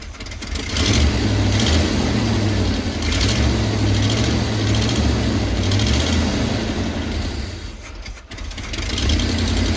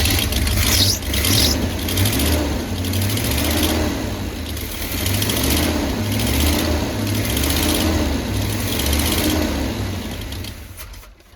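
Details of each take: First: 1985/1986 Chevy Hi-Cube van, ex-police vehicle, revived and running after priming the fuel pump: steady, even V8 idle with a deep, smooth exhaust note and no knocks or misses; sounds healthy, though vacuum lines still need replacing. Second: Chevy Hi-Cube van (stated as 1985 or 1986), fed from a boat tank with the carburetor bowl filled by hand: engine runs with an uneven surging beat, then fades and dies; the fuel pump isn't delivering – fuel starvation.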